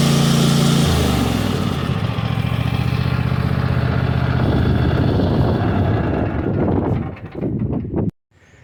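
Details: New 2022 Cub Cadet XT1 ST54 riding mower: loud, low, even engine drone holding steady, then winding down and stopping cleanly; maybe a smidge louder than old Briggs & Stratton Craftsman; normal running.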